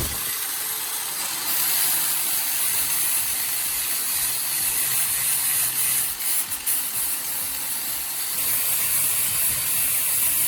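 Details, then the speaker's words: Angle grinder revived after worn carbon brushes were dealt with: high, steady whirring hiss over an even hum, no stutter or bog; normal running. "Now it's running like new. It's running as if it just came out of the factory."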